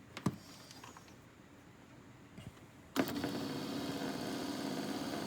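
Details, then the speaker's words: Power adjustable pedal actuator motor from a 10th-gen Ford F150, bench-tested on jumpers and run in reverse: quiet, then a steady, even electric whir with no clicks or grinding; works perfectly, sounds good. "it works perfectly, even sounds good, so no problems."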